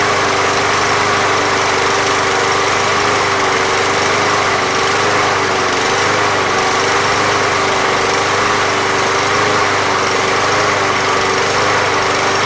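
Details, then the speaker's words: Briggs and Stratton lawn mower (MTD) small single-cylinder, after Seafoam fixed a no-start without carb removal: holds a steady high buzz over ten seconds, no surging or dying, running cleanly. "we thought it might have to clean out the carburetor sometimes just by leaking it up a little bit and remember the seafoam pink stuff right out"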